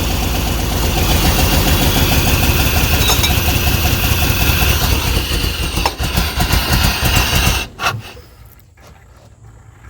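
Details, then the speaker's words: Early-2000s (about 2001) Chevy Tahoe 5.3 V8, 4L60E, bought cheap for parts, run on fuel sprayed into the throttle body: uneven, stumbling running with a loud pop out the exhaust, then it dies; no rhythmic knock, suggesting fuel delivery trouble. "Well, it runs. It didn't sound like it was making any kind of racket or anything besides a major pop out the exhaust."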